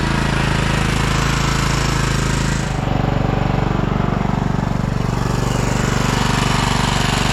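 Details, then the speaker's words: 2012 Toro TimeCutter SS5000 zero-turn (model 74630), V-twin. Lumpy, loping thump about four a second instead of an even twin beat; it runs on one cylinder. The fault is later fixed by repairing the rockers and adjusting the valves. "seems to be the case with most V twins they only run on one cylinder so I think this is going to be the root cause to most of these issues right here"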